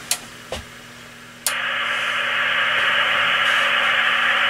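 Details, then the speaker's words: Icom IC-745 HF transceiver, stepping bands 1.9 to 3.5 MHz, PLL control voltages at about 5 V and 14 V: a couple of clicks then steady hiss with faint hum and no stations; PLL out of lock, receiver dead. "it's 3.5 now you see the voltage is gone up to about 5 volts so we're completely out of lock on that part of the p and that one's going up to about 14 Volt and we out of lock there"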